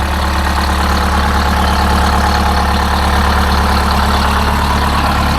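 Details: Detroit Diesel 8V-71 two-stroke idling after a new starter (part 6924N) was installed: steady, deep, even idle with a constant low throb, no knocks or misses; healthy.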